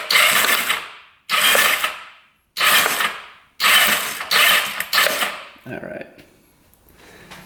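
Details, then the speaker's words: Non-running 1988 Kawasaki Ninja EX500 twin-cam 8-valve twin, cranked with spark plugs out after liquid was put into the plug holes: short bursts of fast, light whirring with free spin and no compression; starter turns the engine normally. "all right let's turn this on crank it over a couple times here"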